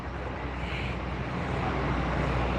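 An even, steady engine rumble with no knocking or rattles; this small bike engine idles normally.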